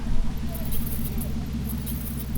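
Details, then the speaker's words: 1992 Toyota Aristo with 2JZ-GTE and 6-speed manual, Japan import. Mirror shaking function that shakes water off: fast, even buzzing chatter like squirrels scratching; working normally. "It sounds like squirrels in the mirror. That shakes the water off the mirrors. Kind of a cool little function there."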